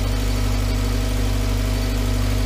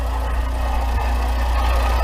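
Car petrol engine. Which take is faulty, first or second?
second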